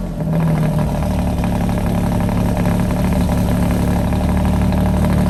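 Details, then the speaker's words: Alfa Romeo Giulia Quadrifoglio cold start before installing Ideal Race carbon fiber intake, switched into race mode: strong even roar settling into smooth fast idle, no knocks or ticks; healthy engine. "car starts up it never starts in race mode so i flipped it over threw it into race mode so you can kind of hear it"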